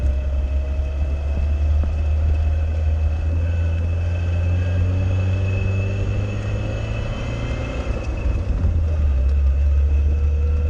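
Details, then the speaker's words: Classic Fiat Spider on its first drive in two years, after the mechanical fuel pump was replaced with an electric pump on a relay. Steady, even engine drone with no knocks or misses: healthy running. "Okay. She's making all the proper happy Fiat noises. This is good."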